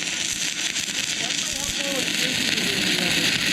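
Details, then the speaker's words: New inverter stick welder with E6011 rod on dirty, rusty, painted metal: started right away, steady crisp crackling sizzle with no breaks or sputtering, a lot more power at same settings; normal stick welding arc. "it started right away and and you can hear there's a lot more power in the world at the same settings"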